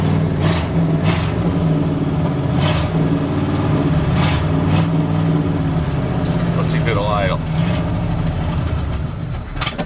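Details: 1984 GMC truck running, with 60 psi oil pressure and charging at 18 volts: a deep, steady V8 burble at idle with an even beat and no knocking or tapping; normal idle.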